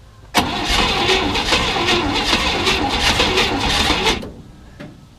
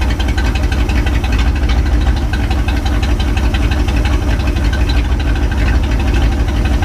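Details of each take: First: 1967 Chevy C10, 327 V8, 11,200 miles, unrun for 33 years, cold day, fuel sprayed into carb: lumpy, irregular cranking for about four seconds, never catches; owner unsure why rhythm changed, doesn't smell flooded. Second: 1967 Chevy C10, 327 V8, 11,200 miles, first run in 33 years after fuel system work, no exhaust: loud steady low rumble, lumpy but even beat, no knocks or misses; normal idle.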